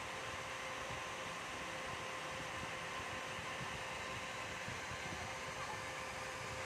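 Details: Dell OptiPlex 3020 desktop: loud, steady rushing whoosh with a faint fixed tone and no speed change; cooling fan running far louder than it should, cause suspected but not confirmed.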